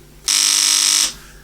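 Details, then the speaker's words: Relay in tube amplifier's external transformer power supply, tested on a simple circuit: harsh steady buzz under a second with no clean click; relay buzzing instead of pulling in. "it's just buzzing so let's try some things"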